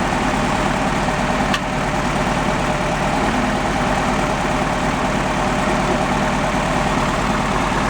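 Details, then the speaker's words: VW Beetle (1971 convertible per talk, title says 1954) at steady idle with a lopsided, loping beat as one cylinder fires weakly; compression test read under 50 psi where at least 100 is expected. "But, we weren't over 50 lbs and we should be up around at least 100."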